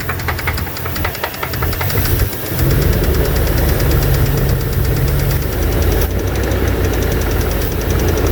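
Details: 2002 Dodge Dakota 4.7 L V8 idling with a steady, fairly quick knocking tap through the low rumble. Owner suspects lifters or piston slap; not confirmed.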